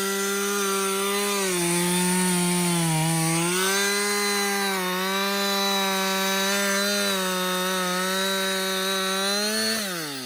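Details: Husqvarna 562XP chainsaw after a software reflash for a fault where it died when hot and stumbled. Saw hot after its most run time straight: steady high two-stroke wail sags slightly as the chain bites, then recovers cleanly. The owner says it is the best it has ever run. Healthy running under load.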